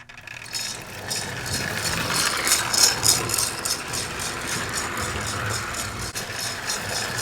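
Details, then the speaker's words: Lionel Southern Railway toy train set bought second-hand, running on track: a fast, uneven dry rattle at three to four beats per second instead of a proper chuff; cause unknown. "yeah that sounds more like a rattle than the chuff's down okay y'all ready here we go"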